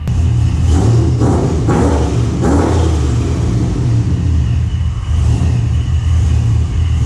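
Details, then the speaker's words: Supercharged GMC V8 after installing a vacuum block feeding the blow-off valve and loading a new tune: deep rumble with sharp throttle blips and blow-off whooshes, smooth between; no leaks seen; normal revving. "oh man you guys would be creaming that thing sounds so [ __ ] good and that blow off that was moving tons of air so that's nice"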